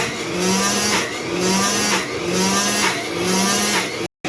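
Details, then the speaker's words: 1930s Cinderella washer with a 110 V 2 A universal AC-DC motor, half the over-soaped water replaced with fresh: steady motor hum with a slow surge about once a second, less high-end noise than during suds lock, running normally. "We'll see what it sounds like. A little bit less highend noise."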